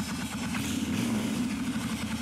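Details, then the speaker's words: Suzuki Intruder 1400 carbureted motorcycle, long-stored, cold: steady, quick, even idle held slightly high with the enricher (choke) on; turning the enricher off drops it to a normal steady idle. "it's a little elevated, and if I turn this down, it drops down to a steady idle."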